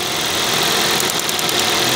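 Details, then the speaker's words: Toyota Vios (Batman) after replacing all ignition coils and spark plugs to cure a misfire: steady even idle with a light consistent valve tick and no stumble or miss; normal idle. "dati kung may Palo pa siya so ayan wala na siyang valo"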